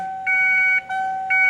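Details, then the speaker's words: 1994 Ford F150 after installing LED dash lights, key on: a bright electronic beep repeating in steady half-second pulses, the secondary airbag warning chime (ABS light also on); owner suspects an unfitted dash bulb, not confirmed. "I'd never heard that before until a couple years ago, and I'm not sure why. What that is it's your secondary warning for your ABS lights, or ABS light, your ABS brakes. No, it's for your airbags, not your ABS, although the ABS light's on."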